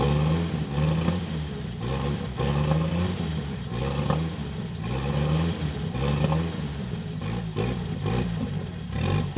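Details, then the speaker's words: 1976 Volvo 240, naturally aspirated B23E engine with a home turbo conversion: revs rise and fall as the turbo whistles, rough under load, with timing suspected to retard too far from TDC under load; poor running under load. "the ignition timing at idle was good and under load it went if i could guess it it it went too far away from top dead center and which is the wrong direction"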